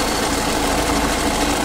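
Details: New-version Tata Safari diesel, customer complaint of loud noise from the engine front after starting: idle carries a steady rough whirring drone; belt removed to isolate it, found to be a faulty alternator clutch (overrunning) pulley.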